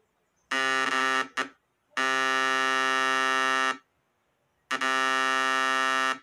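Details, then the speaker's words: Homemade 12V inverter board, still being configured, driving a speaker: a loud, harsh, steady 60 Hz buzz in long on-off bursts. The board is oscillating properly. "aconteceu o alto-falante está oscilando tá fazendo um zumbido de oscilação e 60 Hertz ó"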